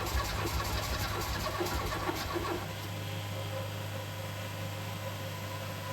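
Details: Ford Escort MK3 Cabriolet under restoration, first start attempt: the starter churns steadily for several seconds with a few weak firing puffs, but the engine never catches; it came very close.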